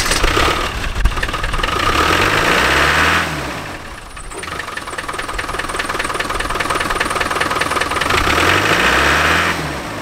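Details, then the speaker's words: Land Rover Defender 300Tdi diesel after fitting boost ring and advancing injection pump timing/delivery, one thin inner-spring shim lost, boost controller wound in a couple turns: clatter rises with revs, then falters unevenly returning to idle, seeming starved of fuel or air. "did the engine seemed to be starved of fuel or air when it came down off the revs do like that very much"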